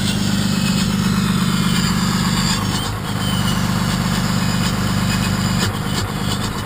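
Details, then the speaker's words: 6.2 L Cummins, first-gen 24-valve with VE injection pump: deep diesel idle dipping and surging every few seconds as the exhaust brake cuts in and out; intermittent exhaust brake from an unsoldered switch's wires vibrating loose. "So my switch seems like it's not holding up very well. It's kind of intermittent and kicking the exhaust brake on and off."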